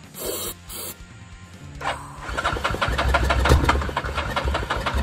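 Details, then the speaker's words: Yamaha 660 ATV, sat six years, with new solenoid and battery but the old carburetor still fitted (known to need replacing): clicks, a short crank, then an uneven, faltering run as if starved of fuel; hard starting, barely runs. "It kind of works."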